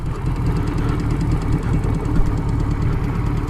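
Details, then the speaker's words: Suzuki GS1000 four-cylinder motorcycle on post-rebuild shakedown, idling: even steady low burble, no knocks or misses, runs sweetly though still smoky; brake fluid leaking from caliper piston, no side-cover oil leak. "Listen to it. Sweet as a nut. Still smoky."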